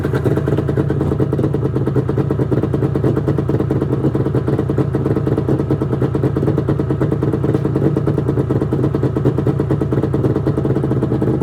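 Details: 1996 Arctic Cat ZRT 600 two-stroke snowmobile after fuel pump rebuild: steady buzzy drone, even firing, no misses or stumbles, holding speed; normal running.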